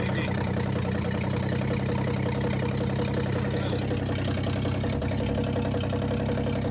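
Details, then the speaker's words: 1962 Ford Falcon inline six, run after 25 years, warm, on its original coil and original wiring: steady idle with a dull rhythmic knock deep in the engine keeping time with the crank; a bottom-end knock is suspected, unconfirmed. "I don't know how well the video is picking it out but nothing got a lower-end noise"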